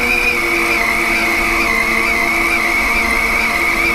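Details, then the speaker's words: Lathe turning a 10-inch vertical gearbox output shaft at a heavy feed, before backing off to 0.022 in per revolution: steady high cutting whine wavering slightly over a low drone; lathe labouring because the feed is too heavy. "that seems like we're loading the machine pretty good here i'm gonna back off on that feed see how it sounds there it just sounds like it's really loading up the day"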